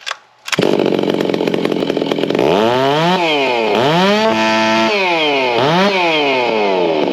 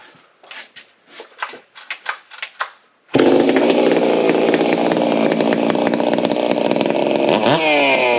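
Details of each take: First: Stihl MS660 with a ported iron sleeve, stock carb, factory ignition timing, no filter, on the dyno: screaming pitch sweeping with a blubbery, uneven edge, still four-stroking hard around 14,000 rpm. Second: Stihl MS660, all OEM, refitted with a 52 mm clone iron-sleeve top end with deeper porting and more exhaust and intake duration, for the 85cc class, already warmed up: a few pull-start rattles, then it catches and runs a crisp, steady buzz with clean blips, strong and smooth.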